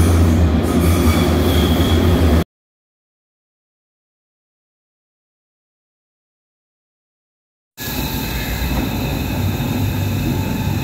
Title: Tramway squealing – efficient reduction of wheel-rail friction noise